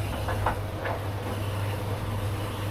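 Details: Baumatic BD45KG clothes dryer after start capacitor and fan belt replacement, loaded with clothes: steady low hum with light clicks as the drum turns; motor starts and runs normally.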